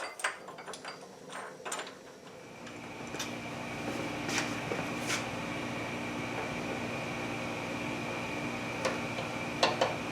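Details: Logan 820 lathe headstock after fitting a replacement spindle and bull gear from a newer Logan and a new back gear shaft, the old bull gear having had a broken tooth: quiet, even whir, steady tone, only light clicks, no gear knock or grinding; normal running.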